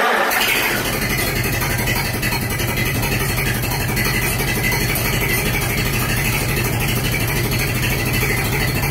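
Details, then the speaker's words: 1947 Farmall H tractor, cold start at zero degrees after sitting, a little throttle given: catches right away and settles into a steady, even chug with no knocks or misses. Normal idle after cold start. "she sounds good come on girl I pushed it up already"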